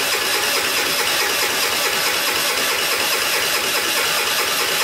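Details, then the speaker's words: Scrap-pile moped with a new battery: starter spins the engine at an even, fast, hissy pace without catching; it would not start because the kickstand was down and its safety cutoff blocked starting. "I had the kickstand down. That's why I wasn't starting right away."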